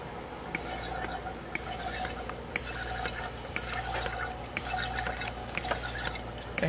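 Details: 2003 VW Beetle 1.8T, engine off, boost control solenoid valve N249 output test with a vacuum pump supplying vacuum: crisp hissing click about once a second, valve switching properly; diverter valve then suspected for the boost-leak codes.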